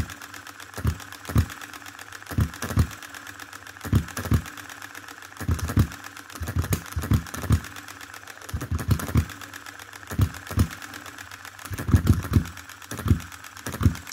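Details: 2022 Enjomor Chinese hit-and-miss engine after fixes (spare piston ring, corrected valve timing, leaded governor weights, added spring for quicker latching): sharp firing pops in short bursts, quiet coasting, no rev-up before latching; normal governor operation.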